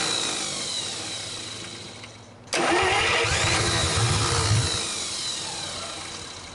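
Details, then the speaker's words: 1949 Buick straight-8, first start in years, with distributor cap and rotor from a 1950 parts car and gas fed to the carburetor, timing being advanced; after a pause the starter churns steadily but the engine never catches. "Alright, not quite sure what's going on here. She's just not wanting to take off yet."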